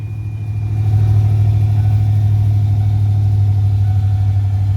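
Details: 1994 Ford F150 OBS started after replacing both fuel tanks and priming the fuel system, in neutral with brake on; catches and climbs to a steady, even idle with a deep rumble and no misses or knocks.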